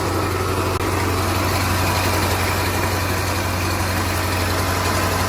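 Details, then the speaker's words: 2013 Range Rover L405 Supercharged, cold idle at low rpm: fast, loose, slightly uneven metallic rattle over the engine drone, with erratic idle and check engine light for timing; slack timing chain from a failed bank 2 tensioner. "The noises that we're hearing, now the check engine light with this, I'm definitely thinking it's the timing chain. They're known to be problematic in this car."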